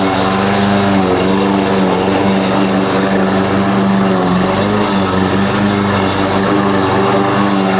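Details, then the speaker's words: Husqvarna push mower after carb cleaning and oil refill (Rotella T6), mowing: buzzing drone sagging as it drags with a backfire; cut height set too low; owner suspects loose blade rattling underneath. "it's too dang low backfire"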